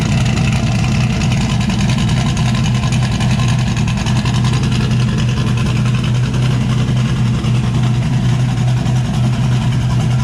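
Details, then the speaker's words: Chevrolet S10 (Zodiac build) with turbo setup, now firing on all cylinders after parts on the driver's side were cleaned with carburetor cleaner; previously ran on five. Steady, even idle with a firm low drone, cam audible, no missing beats; normal idle. "[Applause] that sounds a lot better dude last night well he's working the bugs out slowly"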